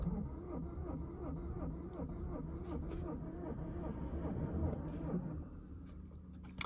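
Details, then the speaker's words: 2016 Ford Mondeo crank-no-start from another garage, on a boost pack with a flat battery: slow uneven cranking with lopsided compression beat, no catch; fuel rail pressure present, cam and crank not synchronized, mechanic suspects timing belt. "Okay, I never saw that to go to on anyway, so that means that they're not synchronized. I would be saying that this is going to be time belt."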